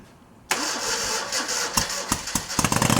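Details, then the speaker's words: 1971 Moto Guzzi Ambassador V-twin, first start after full restoration: catches at once into a slightly lumpy beat with a few sharp pops but little rattle, quiet motor; mixture screws far out suggest it needs richer jetting. "the motor sounds really quiet and and uh not a lot of rattle crap on it"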